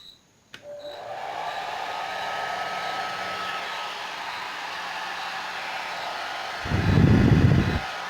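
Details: Suzuka hair dryer that would not switch on because its power button was stuck, tested opened up and connected directly: smooth, even fan whoosh with a steady motor hum; motor and heater are fine, the fault is the stuck button.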